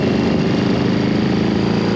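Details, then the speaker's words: 1997 Harley-Davidson Road King barn find bought at auction and just got running: the V-twin idles with an even, deep loping beat and no misfires, clatter or hunting, a healthy idle. "ladies and gentlemen this is it this is my father's 1997 Road King Barn fine motorcycle obviously it runs it rides and it's clean"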